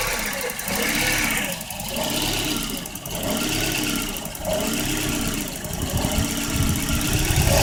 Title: 1994 Volvo 940 hard start/rough idle